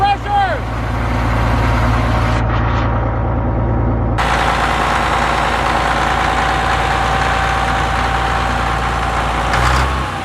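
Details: Caterpillar D7F dozer at its first start in 10 years, firing within 3 seconds of the key: the big diesel settles into a steady, even low chug after a rev, with no knocks or misses. It runs healthy.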